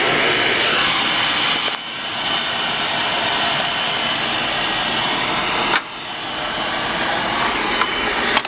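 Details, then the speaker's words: Bock oil-fired 40-gallon water heater with Carlin oil burner that went underwater in a flooded basement: steady hissing roar of the firing burner with abrupt drops as it shuts off on safety lockout. The cad cell is suspected bad and looked corroded. "Oh, should shut off on safety. Cat cell might be bad. Seen it went underwater."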